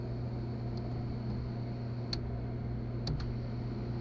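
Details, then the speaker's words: 1998 Chevy Suburban that sat 8 years, fuel pump run by jumpering relay terminals 30 and 87: a quiet, steady low hum at one pitch. The engine still did not start afterward. Fuel pump running normally. "fuel pump works let's try cranking it up i can't believe it sounds like it works"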